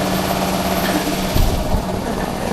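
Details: Nmax scooter that would not start, after shop fix involving the remote key (no parts cost): even, steady low putter with a light mechanical hum, no misses or knocks; normal idle.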